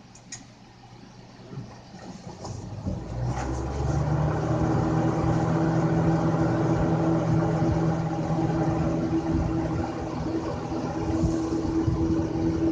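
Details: 1990s Lasko 20-inch box fan with Marco motor, rusty, replacement switch that only works when held: motor spins up over a few seconds into a steady airy hum and low drone on high; running smoothly.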